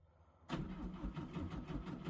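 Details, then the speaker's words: 1958 Goliath 1100 after 12-volt conversion: sluggish, laboured cranking about four beats a second that never fires; the 12-volt battery is weak and needs replacing. "It's that battery's pretty sad. I gotta get another 12 volt for it."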